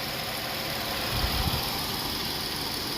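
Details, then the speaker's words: Chrysler/Dodge 3.6 V6 idling about 2–5 minutes after oil filter housing replacement, heat on to bleed coolant air: steady, even idle hum with no knocks or ticks standing out; sounds healthy and settled. "So now that the car is running, it's been running for like maybe 2, 3, maybe 5 minutes."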